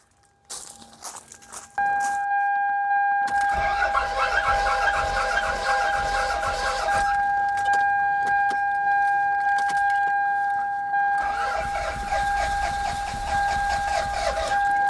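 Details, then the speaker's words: Toyota Celica, sat for a long time, cranked via a GOOLOO A5 jump starter: two spells of steady cranking under a constant electronic tone, no catch or firing; cranks but won't start. "This car does not start at all, so I'm going to crank it maybe 10 times, and let's see how many bars are left on the A5 after that."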